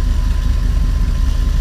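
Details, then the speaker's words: RV engine after replacing the fuel sending unit with a new Motorcraft unit. It gives a steady, smooth low rumble at idle and revs with no hesitation, no misses or knocks: normal idle. "let's see how it revs I don't know if you can hear that but that sounds like one powerful engine no hesitation"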